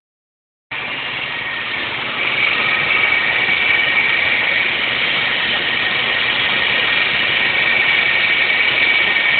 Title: 06 sonata 3.3l v6 whining/squeak noise